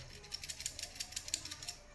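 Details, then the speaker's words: Samsung refrigerator with cooling problem, PTC start relay removed and shaken by hand: light, quick tinny rattles from loose pieces inside, meaning the relay's PTC disc has broken. "इस relay को ना ऐसे गड़गड़ मतलब ऐसे हिलाओ, अगर इसके अंदर से कुछ खड़खड़ाने का आवाज आए तो समझ जाना कि रिले के अंदर एक कॉइन सिक्का होता है, ये सिक्का खराब हुआ है, ये टूट चुका है।"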